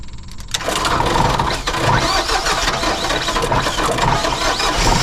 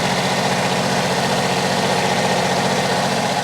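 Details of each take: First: Generac diesel light plant generator bought at auction, first start: cranks and fires, then clatters unevenly, running rough; an earlier belt squeal went away. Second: Generac diesel light plant generator, started with starting fluid and charging at 14.3 V: smooth, steady diesel idle, no blow-by, no belt squeal, runs and cranks better than the other unit.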